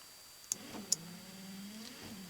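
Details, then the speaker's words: 1991 Ford F-150 wiper motor after its broken-loose red wires were pushed back on tight but not yet soldered: a couple of sharp clicks, then a steady, even motor hum at one speed, then low speed; it works normally. "and that's the speed that it's running on right there and that then you can bump it one more and that's the low speed"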